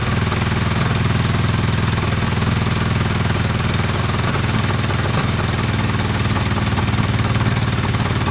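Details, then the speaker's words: Four-cylinder engine idling with pod filters fitted, all exhaust pipes at the same temperature although cylinder one is unexplainedly not showing on the carb tuner: even, steady idle with a firm low beat, no knocks, misses or rattles; healthy and strong. "three i mean that is an extremely healthy strong sounding engine so um no concerns about that actually"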